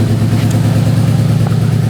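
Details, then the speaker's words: 2009 WRX swapped from EJ255 to EJ205, warming up, with good compression, new plugs, swapped coil packs and changed injectors: deep lumpy idle with stumbles and a raw gas smell. It misfires; cause unknown. "all you smell is raw gas and it [Applause] misfires this is Lally what it does"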